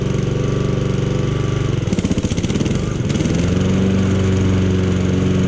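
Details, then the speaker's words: Honda lawn mower found in the trash, cold first start on choke, blades engaged: steady strong drone dips briefly as blades engage then settles to an even healthy run; nothing wrong, everything works, blade control slightly out of adjustment. "Okay, so there's absolutely nothing wrong with that mower. Everything works."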